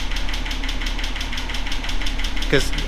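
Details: Datsun 280ZX L28E straight six, engine being rewarmed during valve lash adjustment after earlier attempts went wrong: fast, even ticking over a steady low idle, likely a top-end lifter tick from valve lash out of adjustment.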